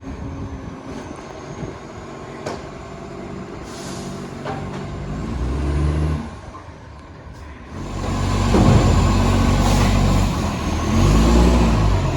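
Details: Diesel garbage truck SL025 on recycling collection: heavy roars and hard revs under load, with a loud, raspy chuffing edge and air-brake hisses. This sounds like a massive exhaust leak.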